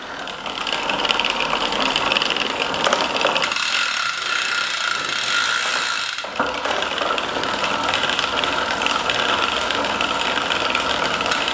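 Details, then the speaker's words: SRAM AXS bicycle on the workstand, spacer fitted, pedalled in an extreme cross-chained gear: continuous dry rasping whir that is just chain noise from a gear you wouldn't ride in; cross-chain drivetrain noise. "Yeah, that's just the noise of it on there. But in reality, you wouldn't be riding in that gear."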